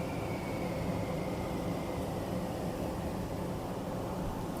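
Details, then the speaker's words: Furnace after its clogged filter was replaced with a new one: an even rush of air with only a faint fading tone; the flute-like whistle from air pulled through pinholes in crimped ductwork is gone, and airflow sounds normal. "all the whistling was gone when we put the new filter back in furnace sound stayed the same"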